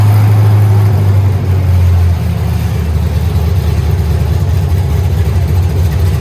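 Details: Truck being swapped to a turbo 6.0 with a 4L80E, four-wheel drive, smogged today; entire exhaust and Y-pipe removed: very loud, deep, raw V8 rumble with booming echo at idle and light revs on open headers in an uninsulated shop.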